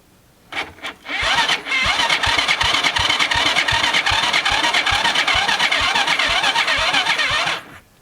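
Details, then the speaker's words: Cheap Chinese kids quad that sat for years, gas poured in the plug hole, choke on: steady cranking about four turns a second with no firing; no spark because the key was in the off position, battery nearly dead. "The key was in the off position all that time. No spark."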